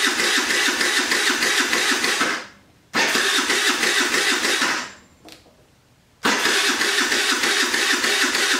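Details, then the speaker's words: Jin Lun 50cc scooter after carburetor cleaning (stuck float needle) and new throttle, old battery: three slow starter bursts, about three turns a second, never firing; battery getting low. "That doesn't sound good. My battery getting low."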